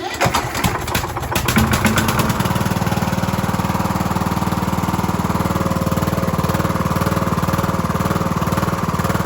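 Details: Cub Cadet LT1045 mower, 276 hours, repowered with a new engine after the old one's case broke and it locked up; first start on jump pack with choke: cranks briefly, catches, then settles into a steady, even single-cylinder beat, running smooth and healthy.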